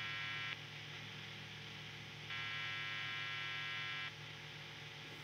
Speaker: when I spin up a guitar like this, it's a guitar, on singles we get these types of noises that are completely normal